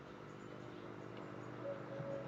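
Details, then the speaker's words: Low-frequency 48V 6kW off-grid solar inverter, roughly 40 kg, running after its power supply was repaired: smooth, steady low hum, even buzz, no crackle or rattle; running normally, solid. "it's purring so nicely very solid inverter"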